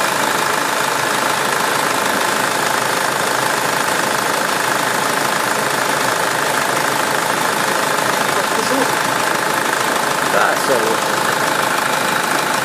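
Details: 2009 SsangYong Kyron restyling diesel, after the oil change with a new filter and fresh oil, brief uneven start blamed on the new filter soaking up oil: steady idle with even clatter and no irregular knocking; settled, healthy normal idle.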